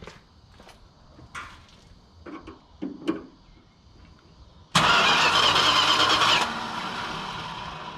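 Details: 1968 Chrysler Newport, after overheating and a cooling-system flush: a short burst of fast, even starter cranking that never fires; cranks but won't start while the owner checks spark. Cause suspected, not confirmed.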